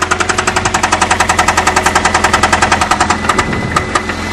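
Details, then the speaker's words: 1994 Saturn SC2 1.9L at idle: loud, hard knocking about three to four blows a second, steady, easing slightly near the end; serious internal engine knock. "that's bad. I don't know what's louder, the knocking or his off."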